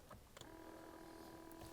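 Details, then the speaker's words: BMW 760Li 7 Series electric seat thigh support adjuster: a small electric motor whirs at a steady pitch for over a second with no load change; it spins freely but does nothing because the drive part is broken. "Unfortunately, on this car, the seat thigh support here is broken. You can hear the motor working,"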